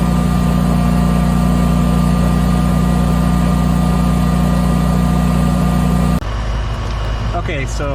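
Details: Generator running an air conditioner with a Micro-Air EasyStart 368 installed, drawing about 9.6 A after a 17.3 A start, phone recording beside the generator. Steady, even drone with constant pitch and no bogging or surging. Normal.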